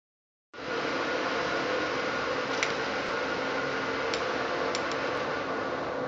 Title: Pulley Box bearing problem